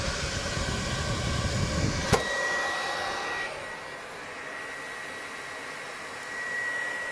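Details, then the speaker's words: PlayStation 4 running: loud, steady rushing fan roar like a vacuum cleaner because the processor is overheating, its thermal paste having lost its properties; fixed by cleaning the processor and applying new thermal paste. "Pro var bunun işlemcisi çok aşırı ısınıyor şu an sesi duyuyorsanız aynı elektrik süpürgesi gibi çalışıyor"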